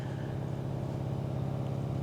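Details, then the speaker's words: Hotel-room air conditioner just switched on: a low droning hum with a fast fluttering pulse, like a helicopter hovering overhead. It runs far louder than it should. "there is air conditioning listen to this ready ready switch on listen listen it sounds like a little helicopter is hovering above us as we speak"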